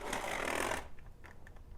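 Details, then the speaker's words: Vintage model train locomotive, a design prone to cracked gears; small motor hums and strains with brief rough gritty grinding for under a second, then stops; gears gone bad. "you can you can definitely hear the gears have gone bad in this one but that's really no surprise but I mean it's trying to go"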